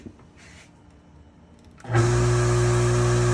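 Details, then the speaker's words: Harbor Freight 1 HP well pump from an off-grid cabin, previously run dry and noisy, after teardown: a short click then a smooth, even hum with no grinding. The noise came from a probably seized piece; normal pump run. "Well, that actually is really good. So, all this noise was coming from this piece which was probably seized."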